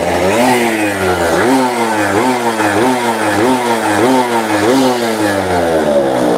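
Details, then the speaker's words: Two-stroke Fiz R with air filter removed to add air, carburettor adjustment already at maximum: repeated throttle blips rev freely without the earlier stutter, indicating too much fuel; carburettor to be rechecked and jet changed. "Tadi masih ada kayak dededak gitu. Kalau ini lebih los, jadi kebanyakan bensin."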